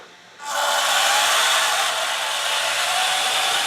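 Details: IMEX Panzer III metal hull gearbox, brass vs steel comparison at slow creep: a smooth, even, high hiss with no knocks, catches or grinding. Quiet; steel gearboxes used to be louder until lapped with grit grease.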